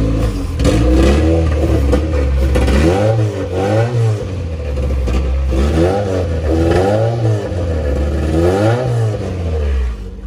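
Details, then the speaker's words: Honda EF Civic with a B20 swap, OBD0-to-OBD1 conversion harness and P28 ECU, running for the first time after wiring fixes with the MAP sensor wired up: it revs up and down evenly with no knock or misfire, despite a fuel leak. "the car runs sounds good so i am happy at where i am with the car at this point"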